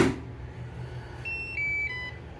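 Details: OKP Life K2 (version 2) robot vacuum after battery replacement for the red-ring fault, reassembled with dust tray in. Short steady melodic beep rising then dropping in pitch over quiet room hum; clean start-up, no fault tone.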